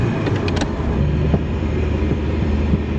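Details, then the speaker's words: Ferrari 308 driven after 15 years off the road, warming up: uneven low rumble with sharp pops; lags at low revs as if not firing on all cylinders, misfire and backfiring. "So when it's like low down, I've just got a lag really. It's like it's not firing on all the cylinders again."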